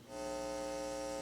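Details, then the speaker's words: Yamaha CA-810 amplifier after relay comes out of protection (~6 seconds) when powered after moving: steady even buzzing hum from speaker, no music, sounds like garbage; amp has issues, cause not yet found. "Nah, it sounds like garbage. [Music] Nah, this amp has some issues."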